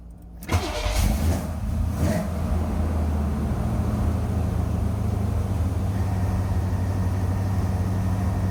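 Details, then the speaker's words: 1981 Chevy Corvette, brand-new V8: first start after new carburetor, cleaned radiator, electric fan, insulated fuel line, new fuel filter, spacer refit and transmission seal, all for overheating and a fuel leak. Quick catch, brief rev, then a deep, even idle with no misfire, knock or tick. Normal cold start and idle. "All right, so this first time start since we've done all of that."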